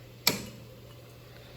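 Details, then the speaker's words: Gas furnace fan center relay assembly with 24 V transformer, thermostat turned up: one crisp click then a faint second tick as the thermostat relay pulls in for burner operation; normal thermostat relay click. "so the next time you hear that click you're going to know exactly what that click came from it came from the thermostat relay on our fan Center relay assembly"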